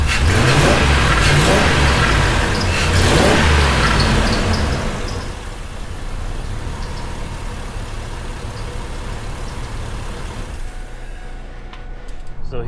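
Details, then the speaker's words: Ford F150 V8, about 300K miles, after a repair to fix a misfire code, codes cleared: strong rev after startup then smooth, steady idle with no stumble or skip; misfire fixed. "we are oh it's solid now it's solid now oh yeah idols so much better drive so much better goodness it's like a whole new truck"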